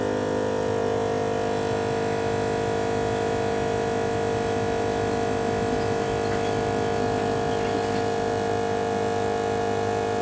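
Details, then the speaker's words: NAPA MaxiTrac twin-cylinder compressor, about 10 cfm (300 l/min), airing up a tire: loud, even pumping drone with steady pitch, no knocks or stumbles; running normally. "it's pretty loud i clicked it on just to see what it sounded like definitely sounds like it moved some air"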